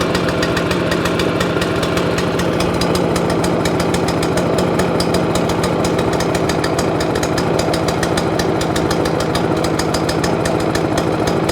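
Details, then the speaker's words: Free scrap overhead-valve mower engine after main jet work: ragged, lumpy single-cylinder beat with stumbles, running as if on choke. Owner suspects the spark plug. Misfiring and running rough. "hmm that don't sound very clever do it that don't sound very clever at all i'll whip that plug out see what that do"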